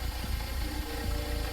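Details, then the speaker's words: Audi with new wheels, before the intake install: low, uneven rumble with a lumpy pulse at idle, no check engine light; it seems fine once put in drive; cause unknown, rough idle. "e a low rumble, like it's idling weird. I have not heard this car."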